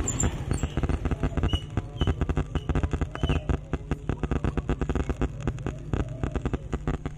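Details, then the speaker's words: Large ADRM Audio sound system with two 15-inch speakers, no music playing: irregular dry crackles like light rain come from the speakers. Crackling somewhere in the amplifier chain, cause unknown. "itu kok ada suara keretek-kertek kayak hujan apa itu gak tahuok Mas suaranya kayak hujan"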